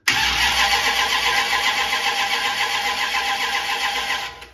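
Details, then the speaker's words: Brand-new Mopar big block in a 1967 Dodge Coronet 500 convertible, started after a valve on one cylinder failed to close fully due to inconsistent valve heights and wrong pushrods; now catches at once and runs steadily, clean healthy start, fixed. "I'm sure you can hear that it's fixed totally different sound"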